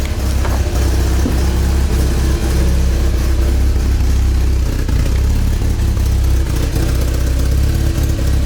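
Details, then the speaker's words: 1987 Porsche 944S 16v (used engine), cold, after replacing kinked fuel line and bad fuel pump: steady, even low idle with smooth deep drone, previously loud pump whine gone; running cleanly. "can't even hear the fuel pump now it was pretty loud before it's running all right it's cold seems to be pretty good"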